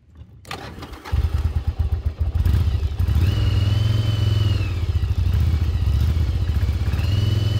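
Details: 1996 Yamaha Virago XV750 V-twin, sat untouched in a garage about 10 years, on a test ride after cleaning and revival: even thump pulling cleanly through the revs, no misses, coughs or knocks; running great.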